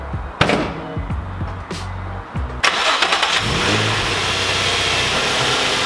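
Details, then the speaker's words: Nissan 350Z DE engine at idle after start-up, hood open, before idler pulley replacement: steady hissing whir over the engine from the front, the suspected bearing noise the owner hopes new idler pulleys will cure. "I'm hoping that it's going to get rid of a little bit of the bearing noise that that's on that that's coming from the front of the engine"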